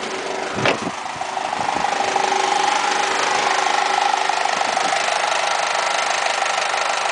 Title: Weird noise when AC is on